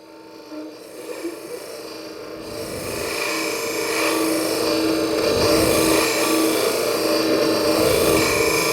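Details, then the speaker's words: Wood lathe turning a tulip bowl with a negative-rake scraper: rasping cut grows louder and rougher with a pulse about four a second; chatter from cutting too broad a surface across the scraper edge. "okay did you hear it begin to chatter at one point it did that because I was cutting wood on too broad a surface across the cutting edge of the scraper"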